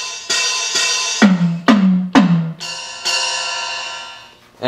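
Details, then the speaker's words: LinnDrum drum machine that got wet plays cymbals and tom hits cleanly after replacing metal film resistors; the random noise is gone, leaving only some transformer hum. "no noise aside from some transformer hum"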